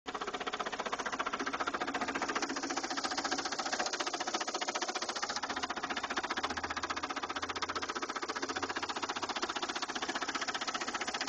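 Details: 2000 Saturn LS2 petrol engine idling with a steady, rapid knock, about four hits per second, that appeared suddenly one day; engine knock, cause unknown, owner fears it's a lost cause.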